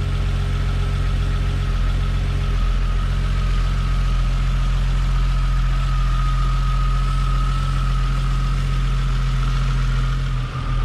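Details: Toyota Supra Mk3 7MGE turbo conversion after switching from distributor to 2JZ/IS300 coils with stock 7MGTE igniter; starts fine, tach not working; steady smooth idle with faint constant whine, no stumbles: normal idle.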